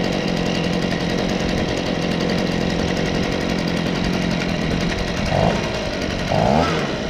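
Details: Stihl BG55 handheld leaf blower, two-stroke, with a new aftermarket carburetor and the idle just adjusted: steady, even buzz with no surging or hunting and a couple of brief blips; running normally.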